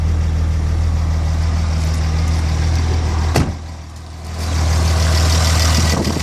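Deep diesel idle with an uneven, lumpy beat around four pulses a second and a brief dip midway; rough idle, cause not yet pinned down. Cause suspected, not confirmed.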